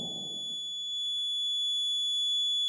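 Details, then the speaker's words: Maxwell's inductance bridge trainer kit, second observation set (Lx2): the null-detector buzzer sounds as a steady, high-pitched, unbroken buzz because the bridge is still unbalanced, and it stops once the bridge is balanced by adjusting resistance. "can hear this buzzing sound. Okay, once our bridge is unbalanced, become balanced, then this buzzing sound will be off."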